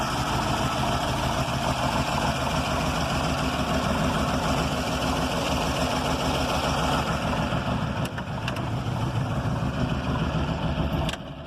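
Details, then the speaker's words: 1940 Buick Eight Special straight-8 248 engine at steady low idle with even rumble after connecting rod and head gasket replacement; rod knock no longer heard at idle. "so at the moment i don't hear at least when the car is at idle i don't hear the um the rod knock"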